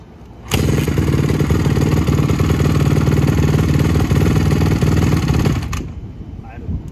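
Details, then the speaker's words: 2007 Honda CRF150R four-stroke single with a new OEM carb, started cold: it thumps steadily for about five seconds, then cuts out and dies when the gas is touched. Bogging on throttle. "don't good but just when you touch the gas kill"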